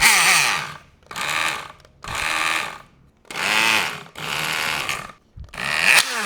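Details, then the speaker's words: Work Sharp Ken Onion knife sharpener during profiling: harsh grinding in bursts that suddenly sounds much worse. Owner wonders whether a bearing went; a part then let go, cause unknown, and the sharpener may be dead. "Why does that sound so much worse all of a sudden? Did I lose a bearing or something inside?"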